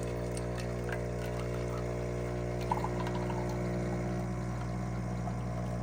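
A steady low buzzing hum with no surges or rattles while the shot pulls; the pump is running normally.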